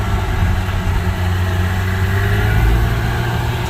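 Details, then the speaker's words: Subaru 360 two-stroke van on first drive after mechanical restoration, oil-injected, pulling away in first then into second without grinding; steady, even burble with smooth low beat, no knocks or rattles; running healthy. "Get in the second gear. No grindy going in the second. That's good."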